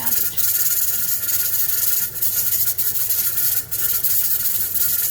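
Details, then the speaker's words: Pressure canner of potatoes on a gas stove; the weight jiggles, which should happen three to four times per minute at the right pressure; steady high hiss with short dips as the weight rocks while pressure is still climbing; normal. "make sure you leave the door open so you can hear the jiggling that is what it's supposed to do"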